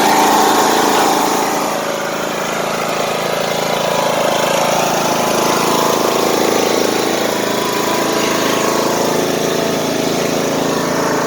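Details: Craftsman T150 riding mower, single-cylinder engine already warm, idling on low rpm just after an oil change: low, steady, even note with no knocks or misses; healthy.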